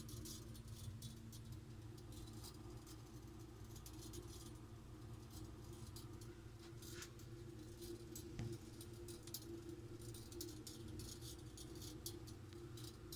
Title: Ticking noise from boiler pipe